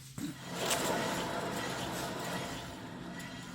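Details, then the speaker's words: 2011 Toyota Tacoma 4WD, 1GR-FE, 6-speed manual, 160,000 miles, front humming: driver's-side front wheel spun by hand gives rough gritty rumble with low drone, grinding wheel bearing vibrating the suspension. "This is absolutely grinding wheel bearing. You can hear it. It vibrates that entire front suspension."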